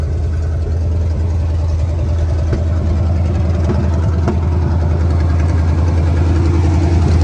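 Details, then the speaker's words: 1976 GMC Sierra 2500 4WD small-block 350 at idle, warmed up decently but not hot: deep steady idle with a faint uneven stumble. Slight misfire and gutless-sounding, cause not yet known. "Got a slight miss. Oh my."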